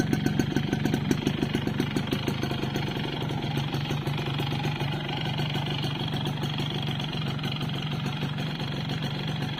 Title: Piston slap, yamaha force1 2 stroke